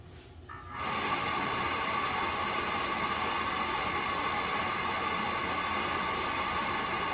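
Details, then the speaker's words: Buderus G115 triple-pass boiler, burner with cover off after long-overdue cleaning service: quiet click, then steady roar with constant mid-pitched hum, smooth and even, louder uncovered; normal firing. "Yeah, see how much louder it is with the cover off? Oh, the difference."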